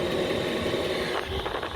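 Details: 8 kW 12 V Chinese diesel air heater in a workshop, running normally at temperature after a low power supply was sorted: even steady hum, constant fan whir, strong airflow, no surging or pulsing.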